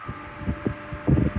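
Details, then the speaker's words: Restored Diehl Junior fan B12AJ16 after repair (cleaned, gearbox regreased, new speed switch, new cord and head wires) switched from second low to high at 117 V, drawing about 0.76–0.78 A; steady motor hum and soft, even blade throb with no rattles, running smoothly. "now if I go to there's the second low I'll go to high you can hear how well that fan is running"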